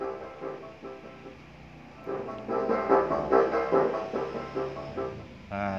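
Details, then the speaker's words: Class TD power amplifier, standby voltage 6.1 V, with input signal: music rough and raspy on loud notes, output drops as volume rises; MOSFET runs hot from failing to start, causing distorted output. "Coba kasih input Apakah suaranya masih serak Nah masih serak ya teman-teman ya Jadi kembali seperti awal tadi ya teman-teman Nah ini suaranya serak teman-teman"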